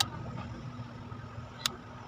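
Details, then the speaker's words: Mitsubishi desk fan plugged in: a steady low electrical hum with no airflow, the motor stalled because its front bushing is nearly seized; the fix is replacing the front bushing. "umugong na lang siya baklasin natin Ayan ang tigas na halos stock up na siya"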